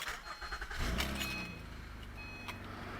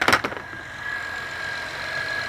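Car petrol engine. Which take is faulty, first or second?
second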